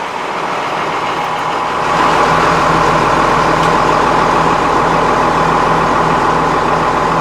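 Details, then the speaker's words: 1999 Ford F800 diesel truck with 5.9 engine, after repairing a broken starter wire that caused no power and no start: cranks briefly, catches, and settles into a steady, even idle with no knocks or misses. "so everything looks good I'm gonna go here it starts right up"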